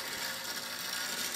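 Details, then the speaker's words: Electrified clock time movement from about the 1930s–40s, original electric motor conversion, being restored: steady high-pitched buzzing whir with fine chattering, loud but even; normal running for this old movement. "I'm also restoring a time clock mechanism for another customer, and the movement has been electrified. That's the electric motor in there. It's from probably the 30s or 40s, and pretty noisy, but that's all original how it was modified back in the 40s."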